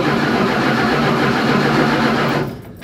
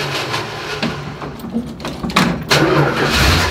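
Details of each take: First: Dodge Dart during rewiring after steering column work, in neutral: starter churns steadily for over two seconds with no catch or firing; no ignition, no 12 volts to the ballast resistor. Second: Dodge Dart, very cold with choke barely on: short cranking bursts catch into an uneven running engine that sounds like it wants to die but keeps running on its own; starts and runs.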